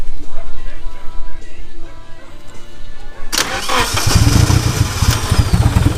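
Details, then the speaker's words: Rebuilt Nissan KA24DET engine, first official start-up after fixing the spark, with the fuel primed: it cranks for about three seconds, then catches and settles into a steady run. A good first start. "let's go ahead and see this official first startup after finding out the spark there you go i already primed up the fuel pusher"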